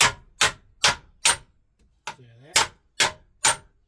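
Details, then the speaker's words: Holden Gemini coupe beaver panel worked with a hammer: sharp blows about twice a second, each with a bright metallic ring. The ring shows the spot is flush, and continued hitting risks stretching the metal. "you get that loud ring, that means that that bit is actually flush. So you can keep tapping it when you get there, but you've got to be real careful because once you've got that sound, you're actually starting to stretch the metal."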